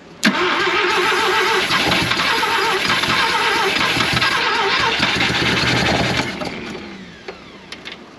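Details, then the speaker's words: 1971 Mazda RX4 race car, 13B rotary, long parked: fires sharply, runs rough and high about six seconds, then dies; owner running out old E85, suspects fuel, possibly out of fuel, plans to clean plugs; stalls after starting. "I'm trying to run that E85 out then I'll clean the plugs I think that's just gonna be fuel"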